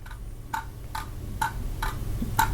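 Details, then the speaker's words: Sigma 30mm f/2.8 lens for Sony NEX, shaken unpowered off the camera: light dry rattle clicks about every half second, sounding like a loose element; actually the focus group moving freely, normal. "sounds like a loose lens element inside, and I was like, oh no, my lens is broken, I can't even try it."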